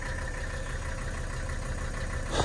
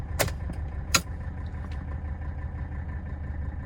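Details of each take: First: 1984 Mercedes-Benz 300D turbo diesel W123 idling after start, car with a minor vacuum leak causing 5-7 second shutdowns; steady low diesel clatter, even rhythm with no misses or knocks; idles smoothly and sounds healthy. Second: 1984 Mercedes-Benz 300D turbo diesel W123, key off after testing door locks; engine keeps chugging several seconds before dying, a little better but not instantaneous; owner suspects an inside vacuum line leak, lock actuator works.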